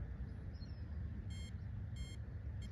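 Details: RC truck on 2S 2000mAh lipo (125C or 150C, blind test) after about five minutes of driving: two short high chirps about 0.7 seconds apart over outdoor hiss; speed-controller warning beeps, judged a temperature cutoff.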